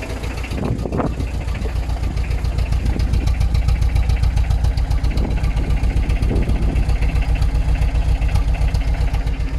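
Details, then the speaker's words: ZX diesel car project, start-up: loud, lumpy clatter with an uneven, labouring rhythm. It is badly underpowered, barely moves under its own power and fills the street with smoke. Rough running, cause not yet known. "because as you can tell by me starting that up it's not very happy it's completely underpowered and will barely move under its own steam"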